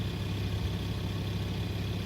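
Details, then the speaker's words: VW Touareg 2.5 TDI diesel at idle, with some crankcase blow-by. A light, fast crackling rattle like a small bell sits over the engine note, described as gears rattling; it disappears completely when the air conditioning adds load. "Ну вот этот треск, конечно, напрягает. Вы его сейчас слышите. Как мелкий колокольчик"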